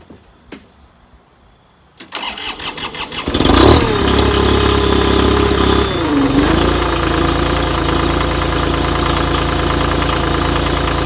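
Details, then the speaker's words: 1.5 L three-cylinder diesel, battery disconnected, started on a NOCO GB150 jump pack alone with no glow-plug warmup. It cranks about 1.5 seconds, then catches cleanly and settles into an even idle. Normal cold start. "that's not bad at all i think fired right up pretty surprising"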